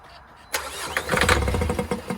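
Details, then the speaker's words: 2014 Vauxhall Vivaro 1.6 CDTI diesel non-runner cranked on brake cleaner: catches into a few ragged bursts that fade at once; noid light shows injector power at initial crank but none once running. Cause suspected, not confirmed. "so on initial injection that is there's power coming up there to the injectors but once it's running we're getting no power at all"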